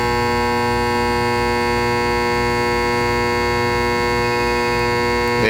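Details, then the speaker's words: Intex pool pump, run about a week then after pool cleaning and refill: steady electrical hum with no spin-up, motor energized but won't start; owner suspects locked rotor, possibly bad start capacitor. "try to turn the pump on and it doesn't want to come on again listen to this that sounds like a locked rotor to me"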